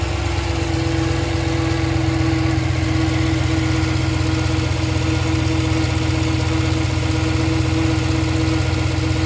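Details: 2014 Ram 1500 V8 with 68k miles, just after a non-MDS cam and lifter swap: steady mid-pitched whine over idle that persists with the belt removed, so it is internal; owner suspects camshaft whine.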